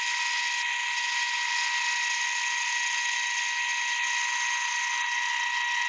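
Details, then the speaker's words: Delta wood-cutting bandsaw converted to cut metal, with a weight-driven auto feed, starting a cut with metal cutting fluid on the blade: a steady, even high-pitched hiss and whine with no knocks or chatter. It is cutting metal cleanly. "Pull it back, drop the part in, some tap fluid, metal cutting fluid, to start it up. Put a little on the blade."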